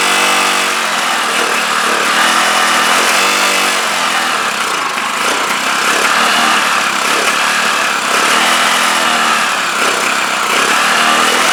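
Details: CPI SUV125 scooter after a carburettor strip, clean and rebuild, empty carb refilling, choke held by hand, temporary fuel tank: the engine buzzes steadily with repeated rev rises and falls and keeps running; whether the carb is now right can't be told.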